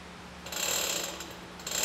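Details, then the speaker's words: Mini Jeep EV swap, front/top electric dirt bike motor tested alone before batteries are moved: rising whir with rattly ratcheting edge building in two pushes; motor spins up freely and works. "Sounds like a roller coaster. All right, the front motor works."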